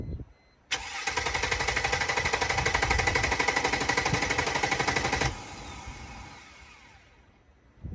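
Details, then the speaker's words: 2002 Mercedes-Benz E320 W210 that won't start, owner suspects the crankshaft position sensor: starter cranks steadily at about four beats a second for several seconds, engine never catches, then stops. Crank no-start. "so I'm having issues starting the vehicle I believe it's the crankshaft position sensor"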